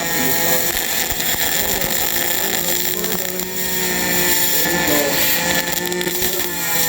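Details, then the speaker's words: HTP Pro Pulse 220 MIG welder in spray arc on frame liners, with some oil on the metal burning off: a harsh, high-pitched, fairly steady buzzing arc. The raised pitch shows the contact tip is held too close; spray arc needs more distance. "You're too close. You can hear that by the pitch. Yeah. So farther away. Yeah, that's spray arc."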